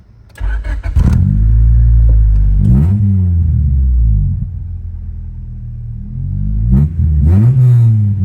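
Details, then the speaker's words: 1996 Honda Civic hatchback, mileage unknown, with aftermarket exhaust: starts up, acceptable at idle, but each throttle blip booms loud and deep, far louder than stock; loud aftermarket exhaust to be fixed. "and idle i don't mind that sound but get on a little bit we way too loud so we'll fix that too"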